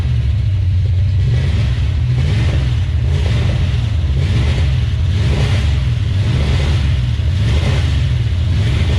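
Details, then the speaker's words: 1970 Plymouth 340 Duster on first start after sitting about nine months: deep, loud revving with lumpy, stumbling pulse, missing on one or more cylinders; owner suspects an old worn-out truck engine. "it is indeed missing you can hear it um that's probably just an old worn out truck engine who wouldn't thunk it"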